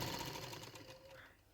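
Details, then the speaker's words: Sewing machine after home service, reassembly and oiling the holes: quick, even, light stitching tick at a steady rate, no knocks or grinding; running smooth and quiet. "और अब हमने इनके इस holes में भी oil डालना है ताकि इसकी आवाज़ जो है बिल्कुल कम हो जाए। जो कम भी है बिल्कुल, ये लाइट सी आवाज़ है, चेक करें।"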